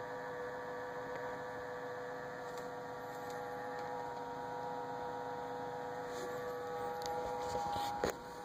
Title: Samsung fridge making noise